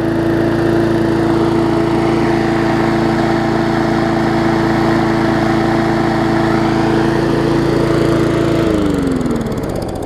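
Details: Murray 3.5hp Classic push mower, final run after full service, new diaphragm, different plug, toggle kill switch and wash: even, steady drone at constant speed, no misses or knocks, then clean wind-down at shutoff; runs healthy.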